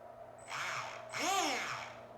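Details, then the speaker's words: Rastar 1/14 Porsche 911 GT2 RS RC car: two bursts of high motor whine with a rough, gritty edge under load from bent gear teeth; opened gearbox shows a damaged sidewall with half a gear lodged in it. "yep sounds like the teeth bent let's get the GT2 RS open back up and take a look"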